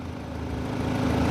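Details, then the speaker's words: 2013 Audi A4 idling after the bad coil on cylinder 4 was replaced; it had misfired with codes P0300/P0304, a flashing engine light and limp mode. Now a steady, even idle with no stumbles, all four cylinders firing cleanly. "There we go. Running nice and smooth again. Son of a Bum coil. That's all it took."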